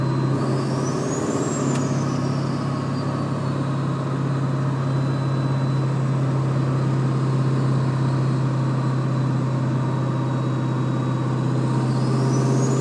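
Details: Ford 7.3 diesel running: constant low humming drone over the engine note with a faint whistle rising and falling; source not identified.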